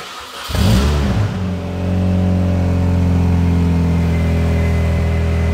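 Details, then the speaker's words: Freshly rebuilt engine in Project PP car with custom Milltek exhaust, cold start: catches after brief crank, quick rev, then steady even idle with no misses or knocks; sounds proper. "son oh yeah that sounds proper that nice isn't it yeah yeah yeah not too awful blowing all the out the back of it"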